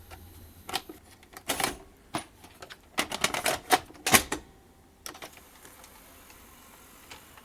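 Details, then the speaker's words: National NV-3000 portable VHS VCR (PAL): with a tape in, fast forward worked but the loading mechanism keeps cycling in irregular bursts of sharp clicking and whirring without finishing; owner suspects a ruined or slipping loading belt. "yeah it can't finish the loading sequence"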